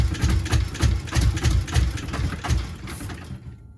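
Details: Subaru GC8 with EJ207 STi shortblock, first start after injector install: lumpy, uneven idle with heavy dum-dum-dum pulse about three per second, no smooth firing; one bank has never fired, engine running on one bank only.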